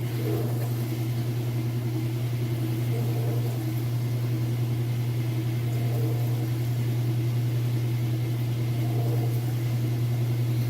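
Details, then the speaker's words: Kenmore top-load washer in excellent condition, up to speed on spin cycle: smooth, even low hum at steady pitch, no knocks or thumps, machine level and not hopping, draining properly; balanced normal spin. "You can see here that it's nice, level. It's not hopping around or anything crazy like that. It sounds good."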